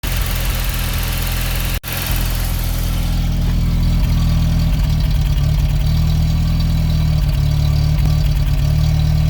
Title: X1/9 rough idle and rev